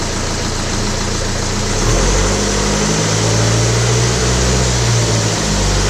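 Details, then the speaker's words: BMW E90 with N47 diesel, stretched timing chain: loud diesel clatter with a metallic rattle that swells at 1500 and 2000 rpm; chain has slackened and is very noisy. "comme vous avez pu l'entendre la chaîne s'est bien détendu donc elle fait un peu de bruit enfin même beaucoup je dirais à 1500 tours minute et à 2000 tours/minute"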